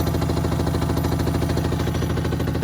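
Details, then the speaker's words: Hotpoint WMXTF942P washing machine, rear cover off, spinning at full speed with a full load: heavy, fast rhythmic thumping and droning rumble with excessive vibration, likely from dry shock absorber dampers. "As you can see there, it's vibrating quite a bit at full speed with the full load."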